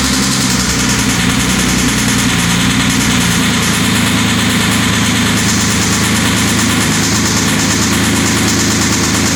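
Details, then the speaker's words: 2007 Porsche Cayman S, manual 6-speed, with bore scoring before engine removal: flat-six idling with a steady, slightly uneven low drone and a faint dull tapping. "Now I'm going to take these keys, hop in, get it started for you, show you what the bore score sounds like, and then we'll dig right in."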